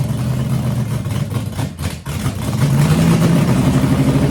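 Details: 6-inch rodded 350 Chevy V8 (HQ Holden Kingswood project), run after fixing an MSD box earthing out through the white wire; loud lumpy idle sags, nearly dies, then picks up; hunting; owner notes a couple of vacuum leaks.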